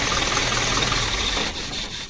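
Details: Isuzu diesel after fixing a fuse problem feeding the stop motor: steady idle for about a second and a half, then dies cleanly on shutdown as the stop motor now works; starts and stops normally.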